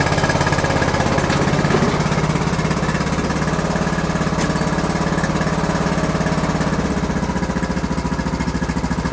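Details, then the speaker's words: Free Craftsman LT3000 riding mower said to have rod knock, which the owner believed was valves needing adjustment: after adjusting the valves, the single-cylinder engine chugs at an even, steady beat with no knock or rattle and runs healthy. "I think I might have been the whole problem with this mower I'm going to run this thing around here for a minute"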